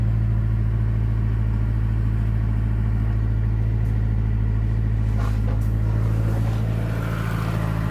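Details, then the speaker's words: Stock 2009 Mazdaspeed3, parked about two years, just after replacing spark plugs: smooth steady idle, slightly raised, no ticking or knocking; previous knock gone at idle. "So there's no knocking at idle, just typical idling sound."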